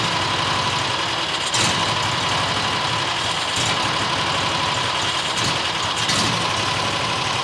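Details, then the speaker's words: New John Deere XUV side-by-side that won't idle: rough, uneven idle with stumbles while the idle screw is turned in; owner suspects dirt in the carburetor, sucked in after a rodent got in. "You know, there's probably crap in the carbureetator because uh fluffy got in there and it probably sucked in a bunch of dirt."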